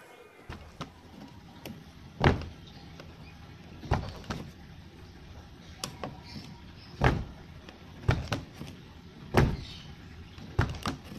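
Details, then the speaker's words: Aging car door, after applying grease into the latch/striker gaps because the old grease had dried out: several soft single closing thuds with no creak or rattle; door now shuts smoother and quieter. "oke Guys Club seperti itu suaranya lumayanlah lebih halus lebih nyaman buat kita"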